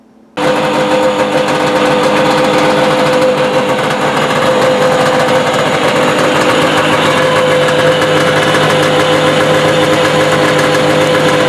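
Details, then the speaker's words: 1983 Yamaha Excel III 340 two-stroke snowmobile, first test run; steady engine with uneven rapid clatter from the track and suspension area, drive lugs possibly catching on something. Cause unconfirmed, to be investigated. "well after a quick test run there's something making a heck of a racket down the track and suspension area it sounds like the drive lugs are catching on something and clacking we'll have to investigate"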